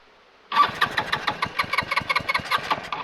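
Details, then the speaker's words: Homemade reverse trike with scooter engine, revived after crash and years stored, PB Blaster applied: repeated starter cranking at about six strokes a second with no catch; cranks but won't start, ignition was left off. "oh wait I didn't turn the ignition back on can't start without the ignition"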